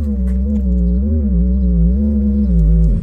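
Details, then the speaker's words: Infiniti QX60 in winter: power tailgate strut drive stopped working, warbling low hum drones from speakers about three seconds; suspected short from condensation under the cargo trim, not confirmed. "у такой гул Прямо стоит как будто вот реально к колонке подключили стойку"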